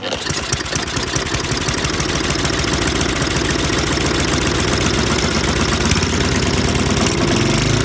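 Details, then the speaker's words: MTD Yardworks 24" snowblower, Tecumseh 195 cc 5 HP engine, primed, on choke at full throttle and hand-pulled: runs fast and uneven on choke, then falters and dies when the choke is reduced; it won't run off choke. "But then I tried to reduce this and it died."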